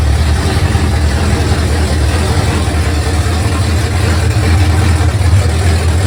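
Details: 1971 Mercury Comet GT 347 V8 after warranty repairs and engine reinstall, on open headers with no mufflers or hood, test drive in snow: loud, deep, steady even rumble with no misses or knocks; normal V8 idle.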